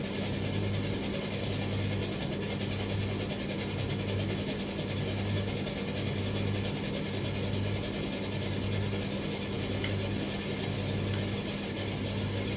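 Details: Tumble dryer, drum turning but stone cold with no heat: over the steady hum a low rattling ratchet repeats about once a second; mechanical noise, not a jockey wheel, cause unknown.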